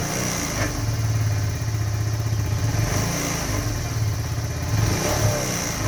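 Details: 2018 Kawasaki Z125 with only 461 miles, which idles low and starts hard when cold: rough, gritty grinding noise as the engine winds down off the throttle on deceleration.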